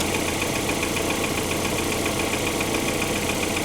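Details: Cold Opel Antara four-cylinder, microphone under the open bonnet, after 500 km on an RVS G4 additive: even idle without vibration, a light, fast, steady tick and some injector noise, unchanged by the additive; source of the tick unknown.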